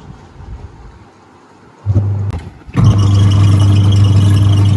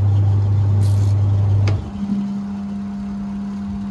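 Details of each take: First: Washing machine spin test: steady low motor hum never builds into a spinning-drum whir because the spin brake is sticking and holding the drum; releasing the brake, clearing trapped clothes and greasing frees it. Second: Washing machine that had a timer fault (stopping mid-run, turning one way only), now running clockwise and anticlockwise: deep steady motor hum drops out, then a higher even tone takes over; wash motor reversing normally.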